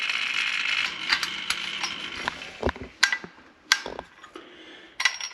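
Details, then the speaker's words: White Rodgers 1311-102 hydronic zone valve being replaced after leaking and failing; thermostat turned down to 60, the actuator motor whirs with irregular gear clicks and clunks as it turns clockwise to close the valve; normal closing. "so now the valve if you hear the valve is turning it is turning the same clockwise to close"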